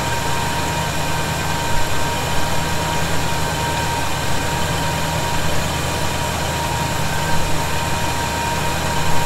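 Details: 1971 Chevy C10 at idle after a cold start, with fasteners tightened for a suspected vacuum leak: smooth, steady low rumble with a faint constant high tone and no whistle rising with revs. Idling cleanly now.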